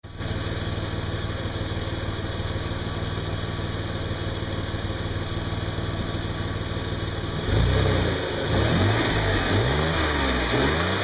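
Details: 2003 VW Passat Wagon 2.8L V6, after flex pipe replacement: an even pulsing idle whose rumble swells on throttle blips, with fuel economy down to about 10 mpg. Owner suspects a vacuum or exhaust leak near the flex pipes; source unconfirmed.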